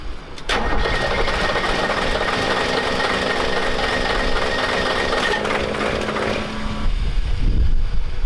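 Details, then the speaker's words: Diesel truck started on fresh diesel/dieseline mix: catches and runs with uneven, lumpy beat, then changes note and sags, white smoke; an injector is hung up. "So, Dadgum dieseline. we got an injector hung up, but the tranny's fuel fluid, so we're gonna stop there."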